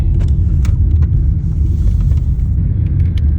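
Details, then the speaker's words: VW Jetta driving after replacing the sway bar end links to cure a rattly front suspension: steady low road rumble with only faint scattered ticks, no clunks or rattles over bumps; no more noise, suspension tight. "Jetta Decrapification project success. No more noise."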